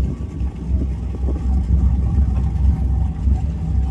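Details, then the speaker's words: Pacemaker 36 SF boat with twin Crusader 350 inboards, after fixing the overheating by replacing broken belts and a torn hose: deep, even rumble with steady low throb, no knocks, smoke or leaks; both engines sound healthy. "it's satisfying hearing the purr of the twin Crusader 350s I told my kid she purrs like a lion"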